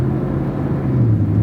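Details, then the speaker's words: Quarter-million-mile GM pickup driving with windows up; steady low road rumble, no roaring bearings or howling rear differential; normal driving noise. "we're listening for odd noises so far the bearings are pretty quiet i don't hear any big roaring noises i don't hear the rear differential howling"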